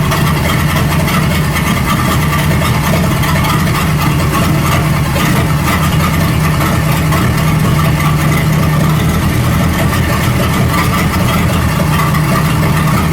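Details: 1937 Buick Roadmaster at a steady but noticeably fast idle: the carburetor's unused starter solenoid holds the throttle open too far, so the idle screw setting has no effect. The fix is disconnecting the solenoid and then resetting the idle. High idle from a stuck choke solenoid.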